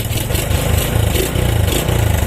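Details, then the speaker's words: Smash single-cylinder motorcycle, previously wouldn't start due to water in the carburetor, after carb air screw and idle adjustment: steady, even low putter with no misses or knocks; idles cleanly and responds to throttle. "Setelah oke, langsam tentunya akan normal. Ada di gas pun dia akan respon."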